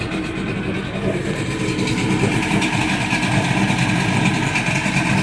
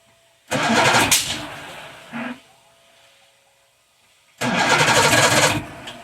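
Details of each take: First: Evinrude 150 outboard run in a barrel after a hard cold start that needed a little throttle: settles into a steady two-stroke burble and picks up slightly with throttle, sounding healthy. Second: Old Evinrude 150 outboard, believed 1978, cold start out of water, choke applied, no throttle: three cranking bursts about four seconds apart catch briefly then die back to a murmur; hard cold starting, cause unconfirmed.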